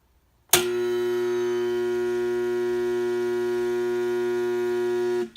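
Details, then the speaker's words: Home air compressor that trips the house circuit breaker: loud steady mains buzz that never spins up, cutting out after about five seconds; owner suspects start or run capacitor, motor locked. "So by watching what the compressor was doing, that as soon as I turn it on, it just make the noise and pop the circuit breaker."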